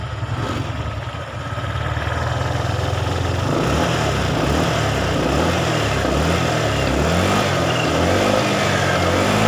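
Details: Honda PCX 150, final result after a full tune-up, valve adjustment, and complete CVT cleaning; the original complaint was an unstable idle. Clean throttle blips whose pitch rises and falls smoothly, with no hunting, rattles, or stumbles; the engine sounds healthy.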